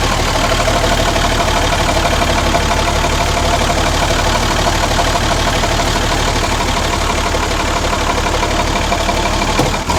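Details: Ex-Australian Army International ACCO 6x6 truck with a Perkins 6354 diesel, just started after bleeding air from the fuel lines: even diesel clatter at steady idle, firing pulses around three a second, no knocks or stumbles; normal idle.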